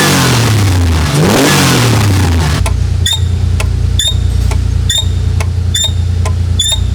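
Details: Porsche 930 Turbo after engine work, belts being tightened in hot, humid conditions: engine revs up cleanly then drops to a steady, deep idle with no knock or misfire; a squeak had been traced to the throttle linkage area, where a mouse was found.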